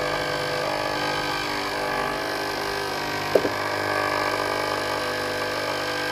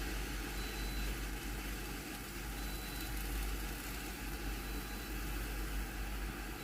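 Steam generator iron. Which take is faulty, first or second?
first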